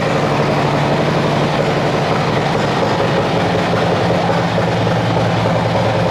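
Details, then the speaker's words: Cammed Harley-Davidson V-twin bought from Copart, first start: deep even rumble with a slightly lumpy throaty beat over steady idle, no knocks or misses; normal running. "We have got power! We've got power, guys. You hear the vroom vroom on that thing."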